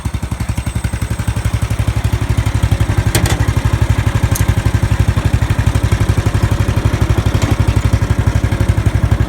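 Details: Murray riding lawn mower after replacing the starter solenoid with a universal one: even, steady single-cylinder putter at constant speed with no misses or knocks; normal running.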